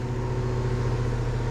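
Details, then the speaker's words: Goodman heat pump outdoor unit, newly fitted replacement condenser fan motor after the old one got loud at shutdown and was failing: even, steady motor hum with no rattle or bearing growl; normal running. "So he come out and put a new, I think he just went and got the factory replacement condenser motor, so it seems to be running"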